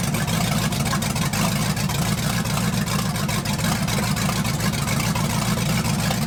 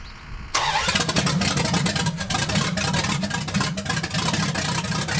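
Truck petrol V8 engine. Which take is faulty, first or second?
second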